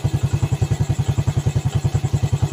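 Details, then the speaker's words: Yamaha Vega ZR single-cylinder after rebuild (valve guide, piston, camshaft work), warm engine at idle, no longer smoking as it did before: even, solid thumping about eight beats a second with no misses or rattles; healthy warm idle. "Ini posisi mesin hangat tapi nggak ngebul. Kalau kemarin kan ngebul ya mengalihim ya. Suaranya sudah mantep dan nggak ngebul."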